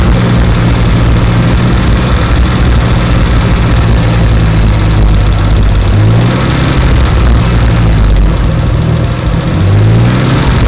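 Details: Idling car engine with a rough idle, developed over two weeks, that vibrates through the whole car and eases after about 20 minutes of driving. Heavy low rumble and steady ticking from down low, loudest under the car near the driver's door.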